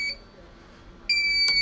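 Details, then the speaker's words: Birch CPQ3 receipt printer at power-on: a short high beep, a pause, then one continuous high tone with the error light blinking; cutter fault, not a paper error, and it cannot cut. "You try turn it on and hear the sound, a continuous beep sound with the arrow light blinking continuously. This is not a paper error. And it's not able to cut."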